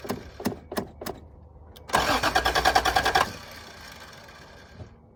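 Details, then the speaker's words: 1986 Toyota Supra, air box off (rats inside), ether sprayed into intake: quick steady cranking about three turns a second for barely a second with no firing; cranks but won't start, owner suspects needs gas or bad fuel pump. "Well, she kind of sounds like she wants to mutter something."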